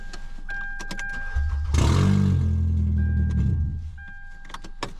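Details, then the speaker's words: Car that sat six months with a no-start; thieves cut out the catalytic converter and fitted a straight pipe, so after the door chimes the engine fires into a deep, loud, overly boomy droning rumble; drivable but monster-truck loud. "it's drivable but it's just going to you going to be driving sound like a monster truck"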